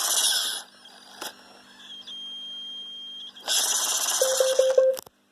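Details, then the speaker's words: iRobot Roomba (500/600 series) in diagnostic test mode, testing all motors: short even whirring bursts with beeps in between, no grinding or catching. All motors are working fine. "okay it's testing all the motors so now all the motors are working fine"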